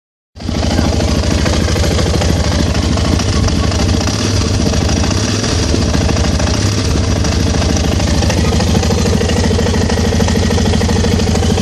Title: Pegaso strada engine knocking code 12 &46